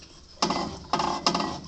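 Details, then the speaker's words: While fitting a new coil on a John Deere 265, the flywheel is turned by hand and gives three short scraping rasps: the flywheel is rubbing the ignition coil, an air gap too tight, so the coil is backed off slightly and retightened. "You know, I just kind of move the flywheel around a little bit until because when I can hear the scraping, I know I got to back off a little bit."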